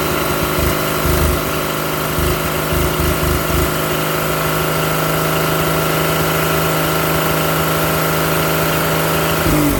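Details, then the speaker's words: Old truck engine, unrun for 30 years, with water running through the block: steady, smooth low-hum idle with no knocks, misses or ticks, 40 psi oil pressure. Slight smoke, rings not yet seated. Normal idle. "see how smooth the nidles nice smooth got 40 pounds of oil pressure then we got water running through the block"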